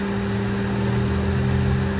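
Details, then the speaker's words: 1983 Honda Shadow VT750C: the cooling fan, which earlier started and then stopped, now runs with a steady even hum and no rattle after a dirty connection was cleaned; the fan works normally on its switch. "okay it must have just been dirty the connection was dirty that's fine all right so we have the fan on the switch that's good all right that works"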